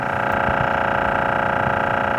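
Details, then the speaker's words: Kenmore 253 refrigerator (model 70413411): loud steady rattling buzz with fast flutter, running with doors closed and stopping when opened, from evaporator fan blades scraping ice buildup; fridge may not cool while freezer does. "it runs with the doors closed and ceases when you open the refrigerator or freezer door you may simply have ice buildup around the evaporator fan"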